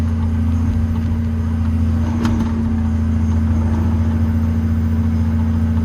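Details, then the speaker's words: Old 140 digger diesel with about 10,000 hours, warmed up to temperature and digging; steady, even drone under load, no knocks or misses, pulling strongly and smoothly like a sewing machine. "Got no amount of power this thing like. I do like these old diggers. Anyway, that's it, warmed up to temperature, and she's gone like a sewing machine."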